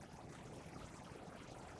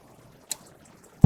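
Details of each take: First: RV gas water heater on propane: a quick run of sharp igniter ticks, about three a second, trying to light three times without the burner catching, then pausing and retrying; likely air in lines after new or refilled propane tanks. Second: RV propane water heater lighting normally: igniter clicks through several tries, then a soft whoomp as the burner catches and rumbles. Slow lighting is blamed on air in the lines after new or refilled propane tanks.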